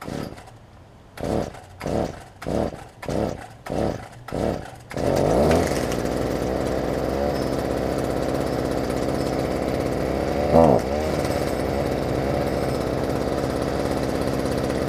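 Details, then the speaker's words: Stihl FS45 two-stroke trimmer, cold outdoors, after fitting a replacement carb kit for bad carb diaphragms, on mixed fuel: six pulls on the starter cord, then it catches and settles into a steady, even idle. "it's cold outside let it warm up for a second see if we can rev it up"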